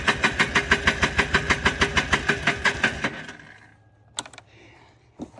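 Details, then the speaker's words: 1995 Polaris Trail Boss 250 with choke pulled: about three seconds of steady cranking at roughly three strokes a second, then sharp pops; cranks, backfires, won't start. Owner suspects fuel delivery. "let's pull the choke let's see what happens w backfire out of the hole that's what we were talking about here we"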